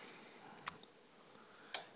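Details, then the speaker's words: Toshiba RX-70 7V digital surround sound receiver: two sharp isolated clicks about a second apart over a quiet background, an intermittent click from inside the unit whose source the owner hasn't found. "you can hear it clicking not sure where it's clicking but it is"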